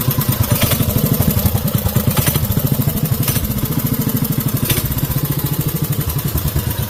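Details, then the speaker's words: 5 hp Briggs & Stratton minibike with CVT belt drive, cold and not yet warmed up, idle set low so the belt drive disengages for coasting: a slow, uneven low idle with soft pulses that sag as if about to die. "I was thinking it's going to die. It needs to warm up a little bit. I got the idle turned down low."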